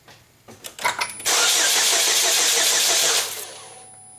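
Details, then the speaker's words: 2007 Chevy Cobalt 2.2 L Ecotec, after a throttle body cleaning and a new serpentine belt: it coughed and sputtered, and now the starter spins about two seconds without catching. Crank no-start traced to a corrupted fuel trim setting, fixed by a reset with a diagnostic tool. "when I went to start it after that the thing just coughs and sputters and now it just turns over without any kind of sense that's gonna start at all"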